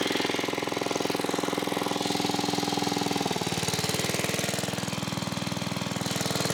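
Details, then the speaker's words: 1980s Onan 1.7 kW generator revived after clearing a clog: a small single-cylinder engine thumps at an even, constant speed with no misses or stumbles. Normal running. "There you have it, guys. We have the Onan 1.7 kilowatt generator. It's running."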